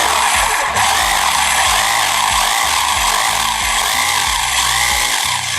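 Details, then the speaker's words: Mollar HD826 SDS Plus 800 W hammer drill switched to hammer-drill mode, running unloaded: steady high motor whine with fast, even hammering rattle as it rotates and strikes; normal hammer drill operation. "juga nah dia berputar dan juga sambil mukul ya memukul sambil berputar"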